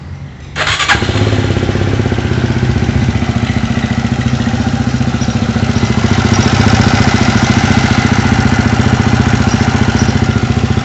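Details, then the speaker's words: Horizon 250, previously very loud engine noise, after work on the cam chain tensioner; starts right up into a steady, even single-cylinder idle with no top-end rattle; now extremely quiet. "mais uma coisa eu posso afirmar tava um barulho horrível e agora ela está extremamente silenciosa"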